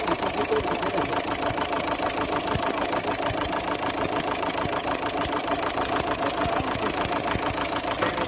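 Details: Sharp rhythmic ticking at about three beats a second over the idle of an Opel Zafira 1.9 CDTI diesel; compression leaking past the number two injector, whose copper seal needs replacing.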